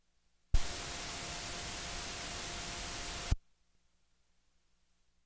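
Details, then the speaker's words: Korg MS-20 with both oscillators turned down on the old Korg 35 filter: steady hiss with a faint thin tone, the supposed "noise leak," which actually comes from the filter itself; it disappears with the newer OTA filter. "since both oscillators are turned all the way down a lot of people think this is a bleed but the source of this noise is actually coming from our filters"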